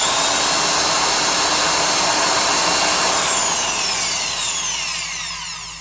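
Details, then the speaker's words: Milwaukee 1670 single-speed 900 rpm 1/2" Hole Hawg stud and joist drill running. Steady high motor whine, even gear hum, then smooth spin-down; sounds fine after reseating the brushes: normal run. "Reseating the brushes. It actually sounds just fine."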